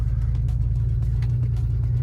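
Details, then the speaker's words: BMW E36 before repair: deep, uneven low rumble at idle with a lumpy, stumbling beat; barely running due to blown head gasket between cylinders 5 and 6. "Viņš knapi rūc, jo ir izpūsta galvas blīve starp 5. un 6. podu."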